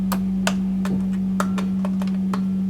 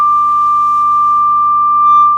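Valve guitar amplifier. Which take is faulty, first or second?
first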